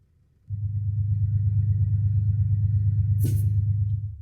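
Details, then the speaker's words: Truck pre-trip safety start, engine running; steady low diesel rumble then short sharp air hiss as the air governor cuts out, primary gauge 130 PSI, secondary 129 PSI (expected 120–140); normal governor cut-out. "that sound was the sound of my air governor cutting out my primary air gauge is at 130 PSI my secondary air gauge is at 129 PSI"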